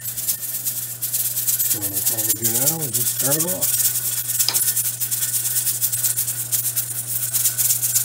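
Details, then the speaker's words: Pressure canner of potatoes with a weight regulator, heat turned down, during the 40-minute cook. Quick, steady metallic rattle over a faint hum, holding pressure with a good seal. Normal jiggling. "open here on out a little jiggler is gonna maintain the correct pressure we have a good seal because if we didn't"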